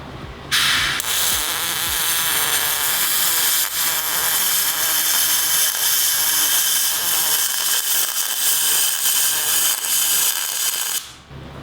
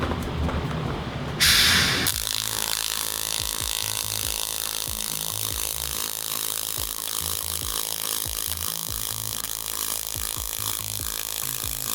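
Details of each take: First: MIG welding aluminum with a spool gun, pulse off: a steady crackling hiss that sounds slightly harsher than it should. Arc with a slightly too-short stick-out; more stick-out was advised. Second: Pulsed MIG with spool gun on thin aluminium, auto-set pulse: steady crisp arc crackle with slow even throb around 40 Hz, pulses slowed to keep heat out of the material. Normal pulsed MIG arc on thin aluminium.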